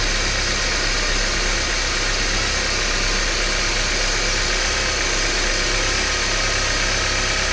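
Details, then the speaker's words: 1993 Porsche 968 3.0-litre engine, right-hand drive, at idle after balance shaft belt tensioning and reassembly: steady, even hum with no chatter or rattle, much quieter than the previous very noisy engine. "so I'm going to put this back together give it a quick start and see uh what it sounds like well that definitely sounds a lot quieter"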